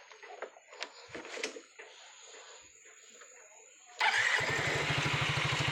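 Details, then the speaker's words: Yamaha Mio GT scooter after the CVT roller-housing slider gap was shimmed with a zinc plate: fires up and settles into an even idle putter; the belt-drive clatter is gone. "jadi seorang rasanya sudah hilang sudah tidak terdengar"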